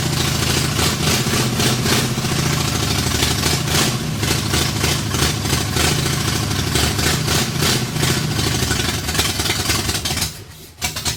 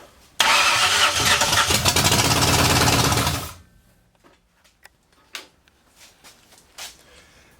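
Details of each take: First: 1964 Ford F100, salvaged 302 V8 with a full-roller cam of 900-something lift, in park, first runs after decades off the road; loud choppy loping idle with open-pipe bark, stumbles and dies; owner suspects the big cam; power lost. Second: 1964 Ford F100 with a salvaged 90s LTD roller-cam 302, off the road since the 1990s, first start in the garage with the carb bowls filled by hand; fires quickly, runs a few seconds with an even crisp beat, then dies as fuel runs out; sounds healthy.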